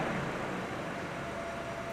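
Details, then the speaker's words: 2009 Honda Civic 1.8 16V at idle after throttle body cleaning and reset of adaptive parameters; customer had complained of high, oscillating idle. Soft, even idle with no hunting, misses or dips; gauge needle steady, normal idle. "Olha como é que tá agora. A marcha lenta ali no ponteiro paradinho."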